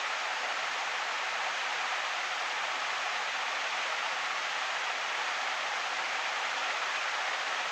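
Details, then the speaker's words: Envirofan Gold Line industrial ceiling fan model 160F, c.1978, started straight from off to high, drawing 0.95 amps on high; steady, even rush of air with no ticks, wobble or rubbing, normal smooth running on high speed. "so here is going straight to high from off it's point 95 on high I don't remember if I said that or not"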